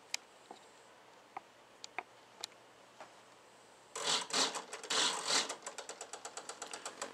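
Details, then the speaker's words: Hitec HS-7955TG digital servo driving elevator on a Sky Masters F4: scattered ticks then rapid buzzing chatter about three clicks per second; owner unsure if centering or binding, sees no binding. Servo chatter. "the chattering I'm hearing right now is that the servo kind of Center itself or is the chatter"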